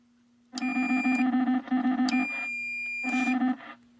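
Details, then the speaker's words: XR-1/XT-1 digital supervised transmitter and receiver set, transmitting on channel 23: bursts of warbling beeps over a steady low hum, keying on and off. This is the normal transmit data tone. "So, you can hear the noise on uh channel 23."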